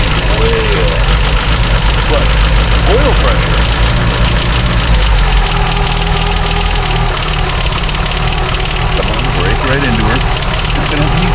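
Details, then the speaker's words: 1989 Dodge Caravan 2.5 Chrysler after in-frame rebuild, running without alternator or water pump: uneven, lumpy running with a loose knock over a low rumble; ignition timing suspected too far advanced, belt timing to be rechecked. "We are running, but that timing is not right, and I need to get some other stuff."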